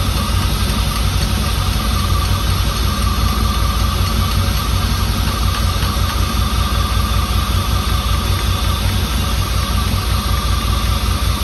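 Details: 1989 Firebird Formula 350, 10,000 miles, long stored, injectors gummed and being tapped free: uneven lumpy beat under steady hiss, won't settle, sounds down on cylinders; cause suspected, not confirmed.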